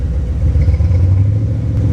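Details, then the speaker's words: C4 Corvette V8, first start in over 12 years, with fuel system treatment added: deep rumble with a slightly uneven, lumpy beat; slight misfire persists after running a while, owner unsure whether spark plugs, plug wires or coil; some white smoke. "oh it seems a little better now it probably just needed to run for a little bit i still can feel a slight misfire something's not right"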